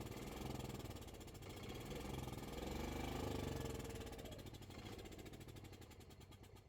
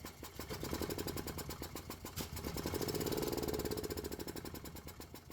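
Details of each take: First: Gas-powered Club Car golf cart after no-crank no-start repair, battery connections cleaned, shifter white wire left disconnected at relay: steady single-cylinder thump about four beats a second, rising with throttle, no stalls on gear changes; runs normally. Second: Gas Club Car golf cart: steady cranking at about four beats a second that never fires, even with starting fluid sprayed in. The fuel pump works, but fuel isn't getting through the carburetor because of a stuck needle and seat.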